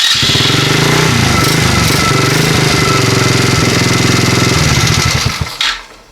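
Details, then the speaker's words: Chinese ATV with newly wired starter solenoid, start button and kill switch: fast single-cylinder chatter running steadily for several seconds before being switched off; starts and runs fine. "We're going to We're going to hit the start switch here and see if it turns over. That works. So, let's start it."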